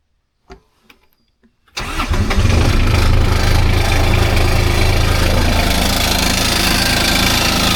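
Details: Kubota RTV X900 with the D722 three-cylinder diesel, after a valve adjustment: it fires and settles into a steady, even three-cylinder chug at idle with no ticking or knocking. Normal diesel idle.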